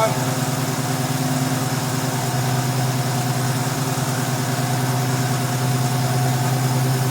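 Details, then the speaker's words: 1971 Ford Mustang Sportsroof (351 per tags), revived after 14 years, no coolant in it: steady even V8 idle burble, about three pulses a second, no misses or knocks; owner notes a little blow-by, normal idle. "That sounds pretty good. I'm impressed."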